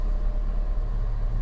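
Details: Fiat 500 salvage repair, idle after replacing the earth strap: low steady rumble, even beat, no misses, knocks or rattles; battery light off, power steering working, earth strap was the fault, alternator fine.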